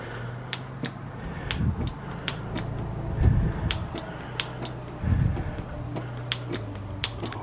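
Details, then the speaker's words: 1937 Talbot 3 Litre six-cylinder, AC mechanical fuel pump fed from a temporary supply with carburettor outlet disconnected, pump initially empty, worked by priming lever; soft uneven clicks and dull squelching strokes; pump primes freely and sounds healthy. "the fuel pump's totally empty i need to see if it's actually going to pull the fuel through or not it sounds healthy i can hear it squirt or squelching at the other end"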